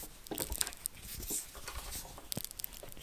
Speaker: this insulation on this wiring is shot it's very dry and brittle any bending of the wire just causes it to crack off